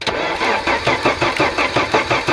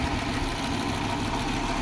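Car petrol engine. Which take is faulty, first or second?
first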